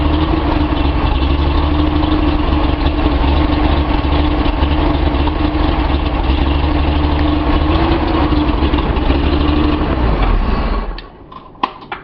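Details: Datsun 280Z six on a test stand, lukewarm (about 100 degrees), after distributor trigger polarity corrected for a chug and poor idle: fairly even idle with a steady low beat for about ten seconds before switch-off; idling acceptably now.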